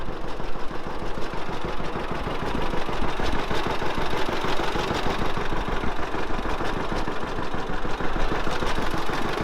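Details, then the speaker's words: Old tractor, warmed up, sat all winter with gas in the carb: idling with a rough puffing chuff on each firing; exhaust manifold leak where the exhaust pipe joins the manifold, poor seal there. "it does have a manifold leak and it's where the uh exhaust pipe and the manifold join together there's not a good seal there"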